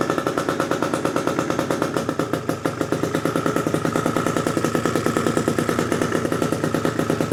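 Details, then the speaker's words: Freshly built PM Tuning 172cc Gilera Runner two-stroke Piaggio scooter engine, second start, barely warm at about 100 degrees, coolant not yet bled: fast, crisp ring-ding with steady even pulses, no misfire or hunting; healthy idle. "But it's running good, boys. It sounds perfect."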